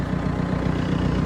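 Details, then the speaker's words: 2005 CAT 420D IT backhoe, 6,533 hours, diesel at idle: steady low rumble with an even beat, no knocks or misses; runs really good, normal idle. "Runs really good. 6,533 hours showing there, guys."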